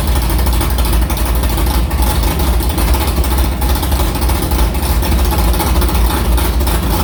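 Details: Carbureted V8 hot rod with Prosystems carb, idle air bleeds changed from .070 to .055 after a track carb issue, ~80°F day, fired up quickly; deep, lumpy idle holding steady around 1150 rpm with no stumble or misfire, a normal idle.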